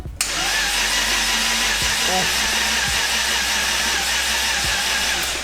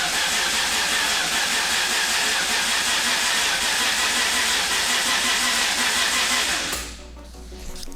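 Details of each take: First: RB26 in R32 GTR build, cranking on jump pack with crank angle sensor unplugged and turbo oil feed disconnected to build oil pressure: steady starter whir with even compression rise and fall, turns over freely without firing; healthy cranking. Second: R32 Skyline GTR with a single-turbo RB26 and Link ECU, first start attempt after the build, crank angle sensor just plugged in, flush oil fitted: starter cranks steadily, about three pulses a second, for nearly seven seconds but won't fire; cause unknown.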